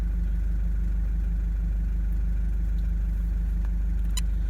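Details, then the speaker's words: 120-series diesel after new injectors and related work, cold at 57° coolant, load reading about 12%: steady, even low rumble with regular beat, no knocks or misses; sounds much better than before. "you may have seen in the prior little bit of the video back there right obviously it uh sounds a lot better"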